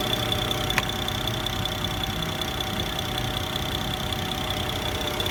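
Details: BMW N54 idling: odd light ticking and a thin high tone from the right side of the engine bay; source unidentified.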